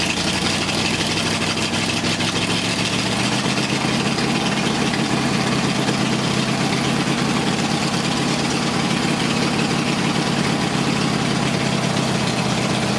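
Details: Flathead Ford 8BA race engine on a run stand, just fired, compression 150–165 psi: even, steady idle rumble with no knocks, ticks or misses; normal idle.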